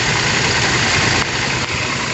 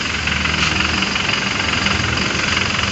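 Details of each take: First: Toyota New Fortuner VRZ at idle with AC on, heard at the compressor (lower left of engine): rough steady growl that stays even with AC switched off; worn AC compressor clutch. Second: Toyota Fortuner VRZ diesel idling with AC off after compressor removal and repair for a growling noise: steady, even idle with regular beat and no growl or grinding; the growl is gone, normal idle.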